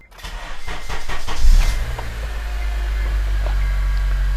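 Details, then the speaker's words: NC Miata swapped with an '06–'08 K24, bought from Copart as running and driving. Brief cranking, then it fires right up and settles into a smooth, even idle; a clean, healthy start. "she fires right up runs like a [Applause] top"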